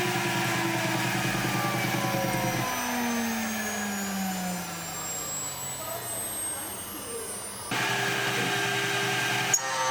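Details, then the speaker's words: Shariff DMC2 CNC pushed to maximum cut with a 4mm end mill on flat material; heavy steady cutting tone under load suddenly drops to a bare falling spindle whine as the end mill snaps from overload. "4mm tools are generally my go-to for cutting parts out of flat material, and of course if you push them too hard they do break too."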